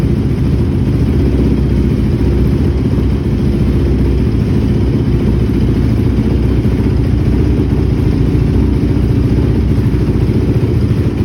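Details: 2006 Honda TRX450R quad after a tune-up with new stator, CDI, wiring harness and spark plug, OEM carburetor and valve adjustment. Steady, even single-cylinder thump with no misses or rattles; idle holds speed and the engine sounds healthy.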